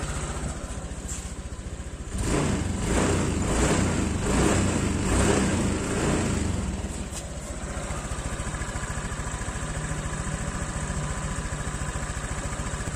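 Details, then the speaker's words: Honda Vario 125 (old model) scooter run for 1 year 9 months on 100% cooking oil as engine oil, revved after its third cooking-oil change. It blips up from idle and settles back to a steady, even putter. Smooth, clean normal revving. "Jadi sudah lama sekali dan motornya aman, suaranya halus, tarikannya ringan."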